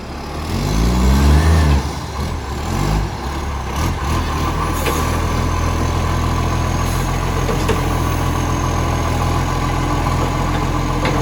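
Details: Diesel truck engine revs briefly, then settles to a low, rough idle with a raspy, puffing edge; suspected exhaust leak, not confirmed.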